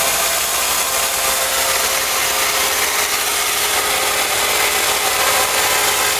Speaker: The belt will probably have to be replaced because it does wobble when it's running. What's going on here? The pulleys are okay, but like I said, the belt has a defective side on it.